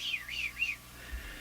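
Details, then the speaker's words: Canadian Crosley Model F-5 radio, during capacitor replacement: a high, wavering heterodyne whistle slides in pitch over the station. Suspected cause is the IF (meant to be 455) oscillating against the incoming signal; decoupling capacitors are the planned fix. "The frequency between them becomes audible and you hear it that kind of I can't I can't imitate it quite quite right. It's more of a whistly sound, isn't it?"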